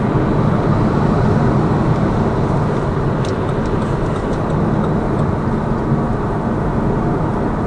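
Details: Lada Vesta Cross with AMT 2.0 robot gearbox, fully loaded, on rough road; head-mounted action camera. Steady road and tyre rush, only faint ticks over joints, no hollow strut knocks; suspension quiet after shock absorber strut replacement.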